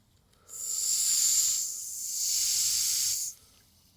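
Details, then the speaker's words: Restored Mamod TE1 steam traction engine under steam after fitting wheels: a steady airy hiss for about three seconds with no whistle note, the whistle blowing through without sounding; the earlier ones typically won't sound out with the whistle. "he just sort of sits there and sounds like a safe without going off and away she goes again"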